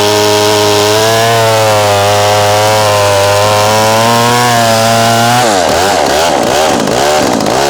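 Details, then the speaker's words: McCulloch SP-125 chainsaw with a .028 jet, two sizes down, cutting wood: screams high and even through the cut, then pitch wobbles and surges coming off. Running lean; owner suspects it warms up and vapor locks. "We could hear it leaning out on the cut, too."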